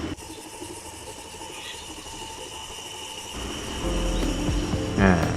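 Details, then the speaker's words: Hatari 16-inch wall fan motor running with a thin, cricket-like chirp about four times a second over a steady hum, from a failed front bearing (rear bearing fine). "เจ้าของก็บอกว่าเวลาเปิดใช้งานแล้วมีเสียงดังเหมือนมีจิ้งหรีดเข้าไปอยู่ในมอเตอร์นะฮะเห็นไหมครับเสียงจิ้งหรีดดังแบบนี้นะฮะ"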